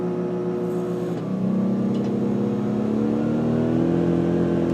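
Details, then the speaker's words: New Duromax XP2000EH dual-fuel inverter generator, after 5-hour break-in, powering an RV microwave: engine note climbs twice in pitch and holds steady as the load comes on. Normal load response. "You can hear the generator run way up, but it's able to do it."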